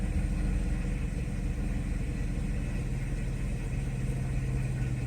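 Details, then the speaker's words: 1995 Mercedes S600 V12 cold start after repairing shorted throttle actuator wiring and E-gas module: low even rumble at correct idle speed, no hunting or misses. "we see our idle speed is correct and again this is cold start"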